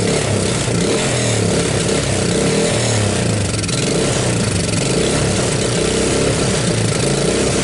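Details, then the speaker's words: 1985 Suzuki Quadrunner LT230 shaft-drive barn-find ATV, cold, running on starting fluid: lumpy uneven single-cylinder beat that never settles and won't keep running; owner suspects a gummed-up carburetor not pulling gas properly. "Maybe if it warms up a little bit, she'll keep running. Well, I guess not. To me, it sounds like I got like a gummed up carburetor in here, right? I'm not pulling gas properly."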